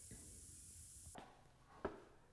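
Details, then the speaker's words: New Polar Air Industrial Plus 7.5 HP compressor (Eaton): steady high hiss of air escaping for about a second then cutting off, a factory leak through a hole at a bad weld end on the tank. "The freaking tank has a hole in it. Somebody didn't check their welds when they did it and had a real nasty end to their weld."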